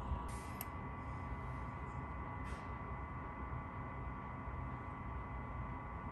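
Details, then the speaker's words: Chinese diesel-fired combination RV furnace and water heater in a cold bus, fan just turned up to high: steady low whir with faint constant tone ramping up, no knocks or surges; normal running, warm air from new vent. "all right we're making heat i just turned the fan up to high you hear it kind of ramping up"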